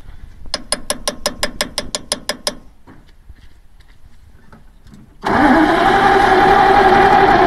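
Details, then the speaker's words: 1948 Bedford six-cylinder truck, sat 15–20 years, makeshift fuel tank, carb needle and seat sticking: a dozen even starter beats at about four a second, never catching; cranks without firing, no spark. "doesn't look like we have any spark okay here we go again come on buddy not come on okay trying it one more time give it some fuel"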